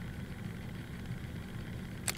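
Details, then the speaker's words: Ticking from the wobbling take-up reel shaft of a Pioneer CT-F1250 cassette deck under restoration. Mic at the front. The steady transport hum is cut by a sharp tick as the wobbling reel tugs the tape against the capstan and pinch roller, causing jitter at the head. "so we have that noise and i'll keep my microphone up here in the front so you can hear everything and that sound every time you hear that ticking it's gonna this thing here when it's running like this"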